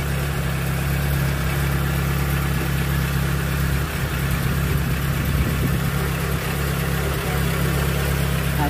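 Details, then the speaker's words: Proton Wira after fixing misfire from a faulty ignition coil and refitting plug wires: steady, even low idle with no stumble, shake or misfire, RPM needle steady; normal idle. "Okey. Alright. Enjin stabil. dia punya RPM jarum RPM cantik."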